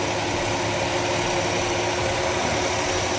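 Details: Nissan March K13 idling roughly with an uneven, stumbling shake, code P0301: cylinder 1 misfire, engine not running on all cylinders.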